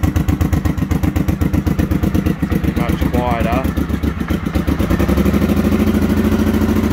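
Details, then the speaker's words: Honda XLV750R V-twin after exhaust modification for roadworthy certificate: even, steady idle of about four pulses a second, firming slightly near the end, definitely much quieter; runs cleanly. "Definitely much quieter."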